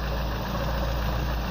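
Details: Engine after DIY repair of crankshaft keyway for lack of power: smooth, even low hum at idle with no knocks, misses or surges, hum from the exhaust pipe; normal idle.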